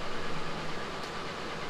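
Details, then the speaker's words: Ford Ranger 4.0 L after passenger-side valve cover and spark plug replacement: steady even low idle with no ticking or miss; running cleanly. "but we got it done it sounds really good i'm happy with how it's running"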